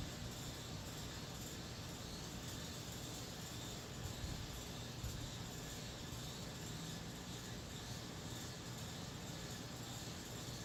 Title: Upstairs packaged unit loud noise sounds defective